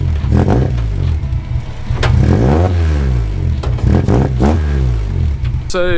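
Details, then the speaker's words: Fire-damaged car, tune tweaked and timing set: steady idle, then several crisp blips rising and falling cleanly and settling back without stumbling; throttle responsive, won't die on revs. "the throttle is really responsive we can like give it a bit of a rev and it won't die it'll still idle"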